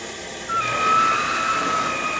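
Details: New Saniflo Saniswift grey-water pump, in use since 20 April for three washing loads a week; steady high-pitched squealing/screeching over the running pump's hiss.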